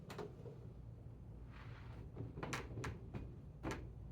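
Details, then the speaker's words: AutoSlide rack-and-pinion sliding door after shimming the unit and retightening the three mounting screws: soft run closing, light clunks as it latches and settles, no gear grinding; gear now tight to track. "We're going to see that it's going to start closing the door here, and then we'll see if it grinds or we'll see if it settles."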